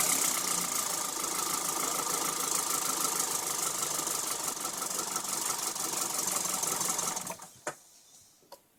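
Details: Running car engine: quick, light, steady ticking over a bright hiss, then the engine shuts off; owner unsure whether the injector or a lifter is the cause.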